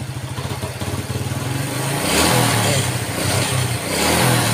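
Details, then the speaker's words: Yamaha Vega ZR motorcycle idles normally with steady thump, then revs unevenly and stumbles or dies when throttle opens, hard to kick-start; hesitation caused by weak ignition. "Ini motor guys ya kalau posisi hidup langsam begini normal nih enak tapi kita coba tarik ya kita coba gas nah motor langsung mati"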